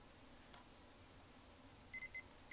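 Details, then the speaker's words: Mission 775 turntable after tonearm rewiring repair, multimeter continuity check of left and right signal and ground: short steady high beeps in quick bursts, then one longer tone over a quiet room; good connections, wiring correct. "looks like I always want to check these for continuity uh left signal good right signal"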